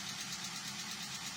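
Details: Toyota Avanza K3 engine, freshly rebuilt, at idle: quick even light ticking faster than firing pulses; valve tappet noise from improper valve clearance, needing adjustment.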